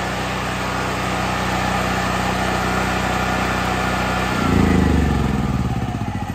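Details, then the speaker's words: New Firman 7500 W tri-fuel generator switched to LP (propane), cranked: steady mechanical drone, catches near 4.5 seconds and settles into even, fast run; normal start and run. "we've got the choke in the start position so now we're going to go ahead and crank it for three seconds"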